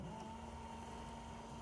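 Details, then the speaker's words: 1984 Jaguar XJS wiper motor, tested on the low-speed pin; steady low hum with a faint even whine, no grinding or knocking, working normally at low speed. "and as you can see it's turning back and forth working good i don't know if you can hear the motor but you can it's definitely low"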